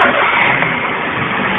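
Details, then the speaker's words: Citroën C3 starting after replacing the accessory belt and its rollers/tensioners: engine catches and runs up smoothly, the earlier electric-motor-like whine is gone; sounds normal. "Y como podéis comprobar, ya no suena el chirrido ese. Ya suena normal."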